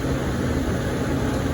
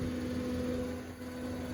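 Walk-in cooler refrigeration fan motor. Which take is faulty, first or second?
second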